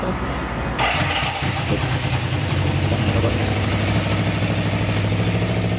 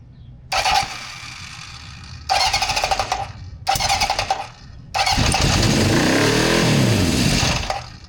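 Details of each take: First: 1974 Honda CB750 four-cylinder with new harness, rebuilt carbs, new plugs and coils, after carb and throttle adjustment: catches quickly, settles into a steady, even idle with clean blips, no stumble or misses, no fuel or oil leaks; running beautifully. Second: 1974 Honda CB750 four-cylinder with new harness, rebuilt carbs, new plugs and coils, and an older battery: three bursts of cranking fail to catch, then a brief uneven run that fades. Hard starting and poor idle, later fixed by adjusting the carbs and throttle.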